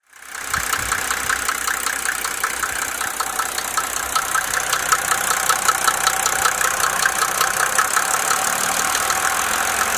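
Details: Mercedes OM603 diesel idling: sharp regular knock about two to three per second over the clatter; engine knock, cause not yet identified.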